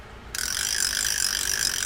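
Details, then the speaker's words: Heddon 236 vintage spinning reel after service, anti-reverse reinstalled: crisp, even rapid click-click-click as the handle turns, no scraping and no chirping from the spool; normal anti-reverse ratchet clicking. "Click, click, click, anti-reverse. You can't even hear the chirping going on in the spool."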